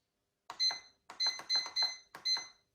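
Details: Bread machine control panel, buttons pressed to select and start the 23-minute quick dough program after loading ingredients: six short high beeps in three quick pairs with silence between. Normal control panel beeps.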